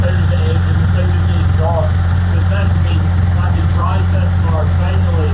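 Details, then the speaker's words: Mitsubishi GTO twin turbo (3000GT VR4), which used to race straight to the limiter on start. After the idle air control valve was checked, a 3SX fuel pressure regulator fitted and stripped plenum threads helicoiled, it holds a smooth, even idle. "Hopefully it turns on and it idles nicely, but we're going to find out. Like it's running fine. Thank God."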